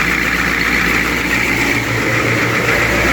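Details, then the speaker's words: 1995 Georgie Boy Swinger 32ft diesel motorhome, after fitting a new oil pressure sender and long cranking: steady, even diesel idle with constant clatter and hiss, no misfires or knocking; oil pressure now reading, idling normally. "It started, it's running. We can see now the oil pressure is working, which is fantastic."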